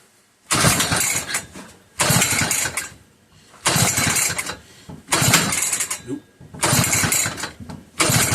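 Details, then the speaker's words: McCulloch 1-52 87cc chainsaw, bar pinched in vise, run position, strong compression and spark: repeated hard pull-over bursts about every 1.5 s, each dying without catching; owner suspects flooding. "Come on, old girl. I know this thing has spark. So, it's just probably flooded with a lot of fluid."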